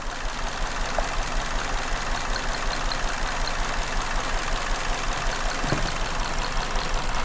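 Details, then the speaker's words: 2019 Hyundai Elantra 2.0, code P0304-type misfire, sometimes stalls at idle; idle shakes with irregular thumping two to three beats per second, pulling coil four doesn't change sound: cylinder 4 misfire, coil most likely, else plug or cylinder. "تسمعون ما ها رفعتها ما تغير الصوت مع مشكلتي هنا او السلندر معنات هذا سلندر فور"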